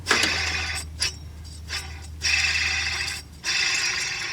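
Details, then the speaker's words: 1977 Ford F250 6.6L (400 cu in) V8 with a cooling issue shown by the temperature gauge, during water pump replacement. Spun by hand, the bearing gives a rough, gritty grinding that fades as it slows; dry, worn bearing. "I don't think I'm gonna use this that's terrible"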